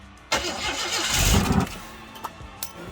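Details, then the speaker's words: Project car's first start after a new starter, starter solenoid and ignition module, with much of the front harness missing: rough surge, then it sags with sharp pops a second apart; backfiring. "it backfires that backfires i mean did it run longer than that"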